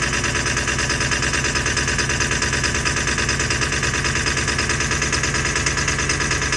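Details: 2000 Ford F550 7.3 diesel at about 60°F, needing new injectors: long steady cranking about ninety beats a minute, slow to fire, finally catching toward a rough idle; hard starting, long cranking.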